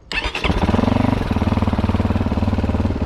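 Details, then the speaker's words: GPX 300R single-cylinder motorcycle restarting after regulator replacement, battery 13.33 V: quick crank, catches at once, settles to even steady idle with no misses or knocks; normal start, bike fixed. "Alright, so it seems I got the GPX back fully fixed and working."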